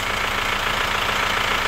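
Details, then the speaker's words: Chevrolet Captiva diesel (FL C140) idling after injector cleaning, steady sharp ticking knock over clatter; cleaned injectors tested and moved to cylinders 3 and 4, valves found faulty and uncleanable, replace valves or injectors advised. "Menurut kami ini injektornya belum maksimal dan setelah kami bersihkan dan setelah kami coba cek 4 nya ternyata yang masalah adalah valvenya"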